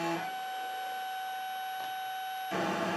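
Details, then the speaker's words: DIY CNC driven by Raspberry Pi 3B+ running LinuxCNC via GPIO to a TB6560 board, jogging one axis by keyboard: steady high singing tone shifting as motion changes; belt tension still needs work; stepper motor whine. "So stepper motors do sing a lot, but I still have to work on the sound and the belt tensions, etc., to ensure that there is a much smoother and accurate movement."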